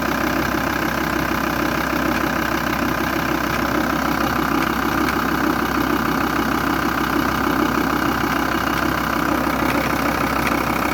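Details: VW T4 2.5 TDI (AUF engine) diesel idle: loud clatter with a fast, fairly regular knock about three per second on top; defective vacuum pump.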